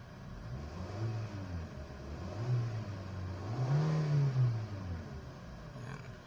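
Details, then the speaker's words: Kia engine after WD-40 was sprayed on brittle, heat-hardened hoses and wiring harness, fixing a delayed-RPM, low-power complaint: revs rise and fall cleanly from idle without the previous 2-second hesitation; normal throttle response. "So check natin kung responsive yung RPM. So responsive na siya. Hindi kagaya nung dati 2 seconds bago mag-response."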